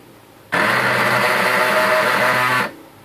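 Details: HP LaserJet P1102 laser printer making a loud, harsh grinding rattle for about two seconds at startup; toner cartridge checked fine with no jam, noise traced to worn drive gear and belt in the gear-side gearbox.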